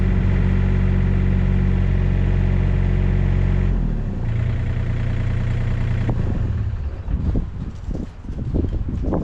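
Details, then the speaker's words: John Deere 35D excavator tracking, undercarriage rollers replaced on one side only: steady diesel drone with irregular crunches and clunks from the unrepaired side; worn track rollers suspected. "All right, well, it moves. Sounds like crap, but it moves. I think once I do the other side, it'll be a lot better. I could hear some crunkling and crinkling over here."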